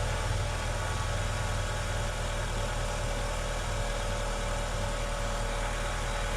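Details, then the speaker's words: Haval/Great Wall Hover after timing belt that jumped 4 teeth was reset and engine reassembled, warming up; even steady idle with no knocks or misses, previous diesel-like knocking and surging gone. "Работает достаточно ровненько. Сейчас прогреется."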